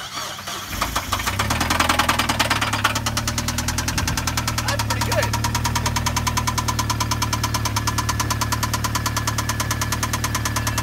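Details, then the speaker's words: Running engine with a hard, regular knock about three beats a second over idle: rod bearing knock, excess crankshaft-to-bearing clearance often from lubrication or oil pump problems, with the crank hitting the bearing continuously. "Since such a gap occurs because the engine is already under pressure and the crankshaft rotates, the crankshaft will hit that bearing continuously. And you can easily hear this sound from the outside."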